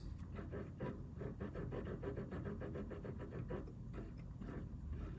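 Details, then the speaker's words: Arctos robot arm joint whose bearing cap came off: motion sometimes smooth, then uneven rough rumbling bursts several a second as the joint turns; broken bearing, needs disassembly and replacement. "sometimes it's smooth but then it starts hear that yeah that is a broken bearing so close now I'm going to have to pull this off again"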